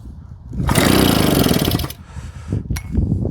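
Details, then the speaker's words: Old JAP 36cc two-stroke engine on a Stuart water pump, which ran last year: one sharp pull-cord rip turns it over without firing. Petrol is dripping in places, and a carburettor fault is suspected, needing deeper strip-down. "Now she ain't going to have it, guys. I think we got to get deeper into that carburetor."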